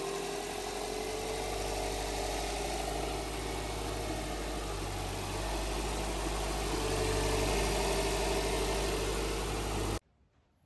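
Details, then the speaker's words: Subaru Impreza EJ20 idling smoothly and steadily right after timing belt and water pump replacement, no ticking or slapping; normal idle after repair. "okay sounds good try again that's a good sound now i will try to start now there you go starts"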